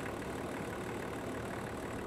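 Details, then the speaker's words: Land Rover Range Rover P38 diesel, warm idle after coolant refill and bleeding: quiet, even idle with no knocks or hunting. Temperature gauge just below halfway, top hose hot; radiator working and cooling system holding. "um but so far the temperature gauge has just come up to just below halfway and it's sitting there so yeah top hose hot fairly hot on this side not too bad and pretty cool on this side so yeah radiator is doing its thing"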